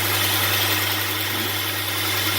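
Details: 2002 Hyundai Santa Fe 2.7, which has no power under load: even, steady low hum at idle with no stumble, miss or hunting, just some hiss over it. Idle sounds healthy.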